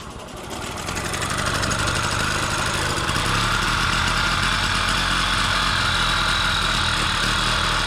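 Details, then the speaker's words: 1999 Solex 3800 moped, under-50cc two-stroke with friction front-wheel drive, catches and settles into an even, crisp buzz at a steady rate; runs cleanly, normal. "so here it is selects 3,800 1999 model two-stroke friction front-wheel drive I like the sweet sound the engine makes"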